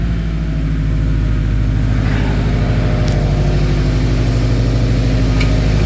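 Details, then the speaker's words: Turbo Subaru Forester, automatic, reportedly knocking, smoking, first cold start at about 33°F in garage, oil found bone dry: deep steady idle with even rumble and no rhythmic bottom-end knock; doesn't sound like rod knock. "foreign doesn't sound like it has rod knock"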